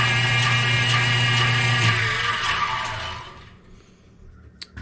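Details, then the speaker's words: Newly set up bandsaw after tracking and blade guide adjustment: steady motor hum with a light rhythmic scrape about four per second; top wheel barely rubs, loud noise seems to come from the bottom pulley. "all right that noise I think is the bottom that RAR noise that little scrape scrapers up here let's see if we can't adjust that a little bit"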